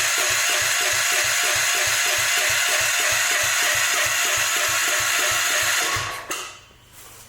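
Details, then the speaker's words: Old-school Gravely cranked with choke on; about three cranks a second for six seconds without firing, then stops. No fuel reaching the carb; it only runs on starting fluid. Points arcing, so the condenser is bad. "it's not picking up any fuel on its ow"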